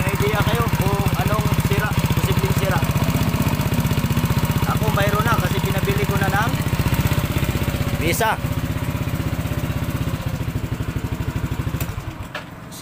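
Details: Yamaha NMAX 155 scooter at steady idle with a noisy engine: rapid, fairly even top-end clatter, about four beats a second; worn rocker arm roller and cam lobe.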